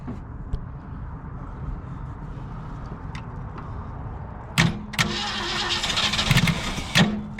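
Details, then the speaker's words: 1967 Ford Galaxie 500 with 289 V8, first start attempt in about 35 years, new points and condenser: starter churns in short bursts, turning over without catching; crank no start, carburetor needs rebuilding for fuel problem. "need a little bit more gas a little bit more let's see what is it no i need to rebuild the carburetor"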